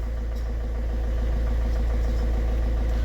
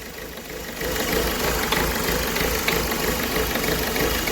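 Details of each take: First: Ford Figo diesel after injector replacement: steady, even idle with a smooth low rumble, no knocking or misfire; engine running healthy. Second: Ford Figo diesel, about 94 km driven, idling with an uneven knocking beat about three times a second; cylinder misfiring, DTC P0203, check-engine light on, cylinder 3 injector found shorted.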